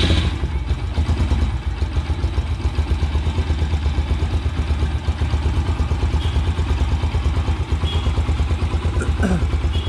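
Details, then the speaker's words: Carbureted motorcycle whose idle mixture screw was turned fully in, then backed out about one turn, before tuning for maximum idle rpm: a low, thumping idle with a slightly loose, uneven beat; the mixture is not yet adjusted. "पर अब यहां पर मैं bike को start करूंगा और इसकी आवाज सुनाओ ना"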